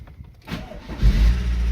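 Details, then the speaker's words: MG engine after an attempted exhaust manifold repair, first start: short crank, then rough idle with a puffing tick under the rumble, exhaust smell and lots of smoke; manifold joint still leaking, repair not a success. "No. That sounds like it's still fucked. I can smell it."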